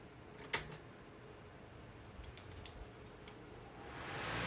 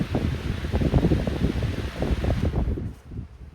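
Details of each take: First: 14-inch Lakewood high-velocity fan (1999–2000): spins up from quiet to a steady rush with uneven low thumping wavering at speed; blade out of balance, bearings have no play, otherwise runs well. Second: 14-inch Lakewood high-velocity fan (1999-2000) switched off from full power; a soft, low whoosh of light blades coasting fades within a few seconds; a short, natural, free spin-down.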